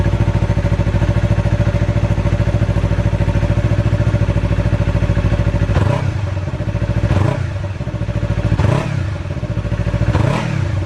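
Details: 2019 Yamaha R3 on its stock muffler before the straight-pipe install: even, steady idle thump, then four quick throttle blips rising and falling back cleanly; normal idle and rev.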